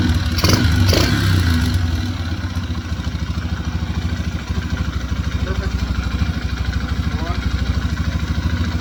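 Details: 2003 Yamaha TTR125 single-cylinder bike after a carburetor fix (new float needle, float height corrected to stop fuel leaking): fires up with a quick blip, then settles into a steady, even putter at idle and runs fine.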